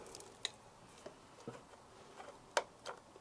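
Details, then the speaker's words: Yamaha XJ900S first run in 10 years, just shut off after smoking and a flash seen underneath; faint irregular light ticks about every half second in a quiet room, source not identified; ticking noise. "Do you hear that ticking?"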